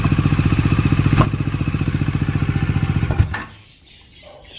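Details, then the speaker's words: Bajaj Dominar 400 with under 1000 km, idling: single-cylinder thump with an odd extra chatter until shut off; owner pulls clutch to test, still investigating; abnormal engine noise, cause unknown. "para ele poder explicar melhor Esse barulho tá o que é muito estranho gente é muito estranho esse barulho"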